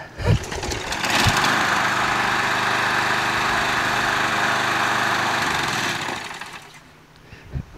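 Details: Craftsman 20" mulcher push mower single-cylinder engine, primed before starting (it needs priming every time), after the hydrolock oil smoke burned off. A couple of thumps, then it fires and holds a steady even drone for several seconds before winding down; runs healthy.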